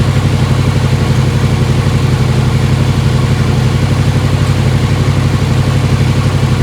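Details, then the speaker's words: 1955 Chevy Tri-Five barn find with V3 Vortech supercharger, first start-up after fixing distributor timing that had spit back through the throttle body: loud, steady, even V8 beat at raised idle, no pops or misses. Normal high idle. "she sounds on it now dude what do you think about that I love it dude I'm digging on it"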